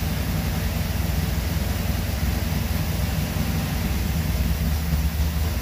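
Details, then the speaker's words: 1977 Chevy Camaro small-block Chevy V8 with newly installed Edelbrock Pro-Flo 4 EFI, timing locked at 12 degrees, idle set to about 750 rpm: deep steady even lope, no misses or tapping; normal healthy idle. "[Music] looking good sounding good"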